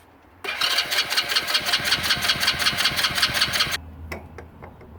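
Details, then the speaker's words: Hammerhead 110cc go kart that sat almost a year: the starter whirrs steadily with even compression chuffs about three a second but never catches. Spark was checked and the plug cleaned; carburetor to be pulled and cleaned. "So we're going to pull off the carburetor. It would not run. So we're going to pull off the carburetor, clean that all out, and then reassemble."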